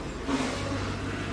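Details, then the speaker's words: 2004 Mystichrome Mustang SVT Cobra now running on all cylinders, idling while burping the coolant system; steady even idle, power steering pump much quieter than before with no whine rising over the engine; normal idle. "Burping the coolant system here, and that power steering pump is a lot quieter than it was."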